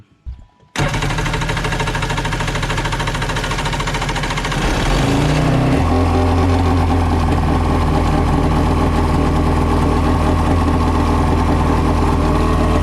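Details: XL700 waverunner two-stroke after engine reinstalled and oil injection checked: catches and settles into steady, even idle with slight burble, no knock or misfire; fault was really a hose, misdiagnosed.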